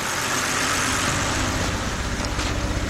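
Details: 2010 BMW 528i, 3.0 engine, P0305 cylinder 5 misfire, check engine light, sometimes runs rough: rough, uneven idle with a loping exhaust thump. Unplugging coil 5 changes nothing while unplugging coil 2 worsens it; faulty cylinder 5 ignition coil.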